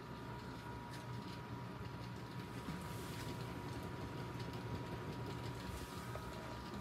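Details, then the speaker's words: Antique c.1905 Diehl hatbox single-speed ceiling fan, 55-inch span, with new blades, running on low at about 60 volts DC: a quiet, steady hum with a faint even tone, no knocks, rubbing or wobble; the motor runs smoothly. "so anyway i'm gonna fire it up and this is actually on low this is about 60 volts"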